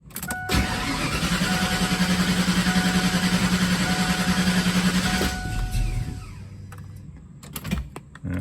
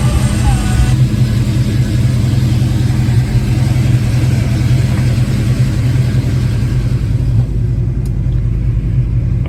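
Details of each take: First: Foxbody Mustang that starts perfectly on the first start of the day but struggles afterward, with surging idle, miss and shake when it does run: the starter chugs the engine evenly for about four seconds without catching, then quits; hard start when warm, cause undiagnosed. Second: Foxbody Mustang with hot-start and surging-idle trouble, first cold start of the day, timing about 12 degrees: it starts right up into a steady, even, slightly fast idle that is coming down; no misses or knocks.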